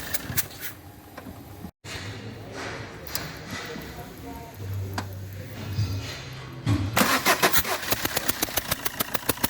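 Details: Fiat Multijet diesel: after a rough start, a quick, even ticking puff at every firing as compression leaks past an injector seal (gasket).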